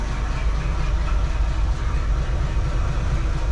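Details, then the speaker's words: Jeep CJ7 just fitted with a new carburetor, valve cover gasket and simplified vacuum system: it started right up and idles quietly at about 600 rpm with a low, steady rumble and even firing; the carb still needs tuning. "it's right about 600 let's get some gas get some smoke all right well clearly we've got to tune this Carver a little bit but did you guys hear it run there for a second I mean 600 RPMs and it was quiet as a mouse started right up that is excellent"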